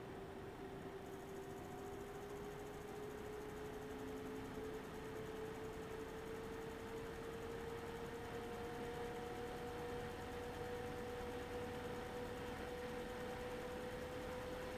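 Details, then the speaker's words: Eight-year-old MSI Radeon HD 7970 Twin Frozr III with its original worn fans, at the start of a benchmark on a Threadripper system: a thin coil-whine tone climbs over a soft, unevenly wavering whoosh as the fan spins irregularly. "so i'm going to start the test you should be able to hear the irregular fan spinning separate from the coil wine"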